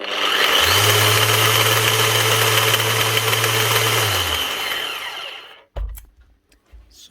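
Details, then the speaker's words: Makita BO6050 random orbit sander: coarse grinding and rattling over steady motor hum, then spin-down; broken, chewed gear teeth in gearbox, likely from repeated pad impacts on workpiece edges. "like the gears getting chewed or something."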